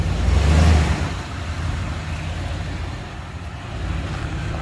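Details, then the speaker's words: 1996 Ford F-150, rolled over and not run in about a year, after fuel pump and gas tank replacement: brief surge then low, even rumble settling to steady idle; normal idle. "the first time I've ever heard this thing run"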